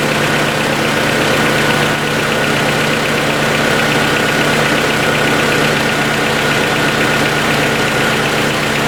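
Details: 1990 Honda CRX DX (non-OEM aftermarket distributor, ignition coil replaced) at idle: steady note with a light, fast tick keeping time with the engine; owner says valves probably need adjusting, and hopes valve seals aren't the problem.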